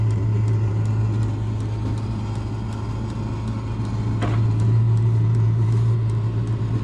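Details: Diesel heater shortly after start-up, burning off stuff sprayed in: a steady low droning hum with an even fuel-pump tick about four times a second; it is starting to kick out heat and runs normally.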